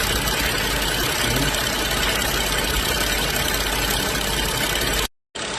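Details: BMW X5 N55 after valve-cover PCV repair with new membrane and spring, cap siliconed: smooth even idle with a steady hiss and no stumble, shake or misfire; normal idle.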